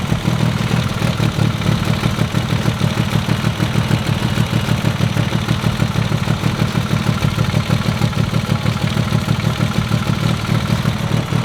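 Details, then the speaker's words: Mitsubishi Evo IX at idle with a light, regular top-end tick keeping pace with the engine. It began after a spark plug melted, and cylinder one is losing about 30–40 psi compression; the head is coming off, cause not yet found. "oh and here we are again see if you can hear the tick"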